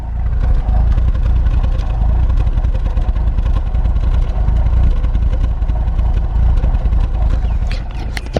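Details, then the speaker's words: BMW E46 recorded at the tailpipe: lumpy, uneven idle hunting and stumbling at about three beats a second. Owner says it is a misfire, and it sometimes stalls when revs drop at lights and is hard to start. "um this car has a fake cam aka a misfire not really a fake cam but anyways um it sounds like crap it kind of sounds like it's gonna cam which is kind of a little bit cool"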